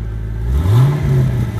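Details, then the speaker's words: 2005 Pontiac GTO, 6.0L V8, 6-speed, 29,500 miles, cold start: catches cleanly and revs smoothly, pitch climbing evenly with no knock or tick; really healthy six-liter. "really healthy six liter"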